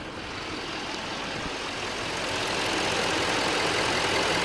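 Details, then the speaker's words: Diesel truck after gasoline was pumped out of the diesel tank, gas pedal floored: cranks for a while, then fires and settles into steady, even diesel clatter without stumbles; normal diesel idle. "stepped the gas pedal to the floor and right when I did thing fired like a champ but it did crank for a bit as you can see sounds like it's running"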